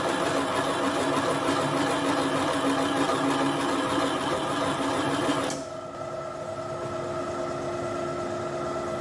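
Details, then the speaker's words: Boring vise jaws during a Kasto EBS 400 power hacksaw rebuild, boring head at 200 RPM with auto down-feed at 0.003 inch per revolution: rough, busy cutting chatter over the spindle hum until the cut ends abruptly. The feed was too aggressive. "I might slow that feed down. That feed was a bit aggressive."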